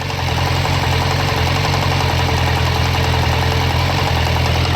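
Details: 1998 Suzuki Bandit 1200 knocking at warm idle: steady idle with a rapid, regular knocking tick through the low rumble, listened to around the clutch cover, valves, carbs, oil filter and cam chain tensioner.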